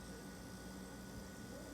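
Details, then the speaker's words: Frigidaire top-freezer refrigerator compressor humming steadily, with no clicking and no cutting out, after replacing the start relay and capacitor. Before the fix it turned on briefly and then clicked off. "See how it's not turning off? Unit is fixed. Start relay and capacitor."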